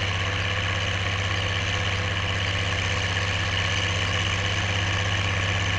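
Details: Oliver 1550 diesel tractor pulling a JD BW disk about 6–8 inches deep, running well once whatever was in the fuel system cleared: even, throbbing diesel note holding steady, no misfires or knocking; healthy under load.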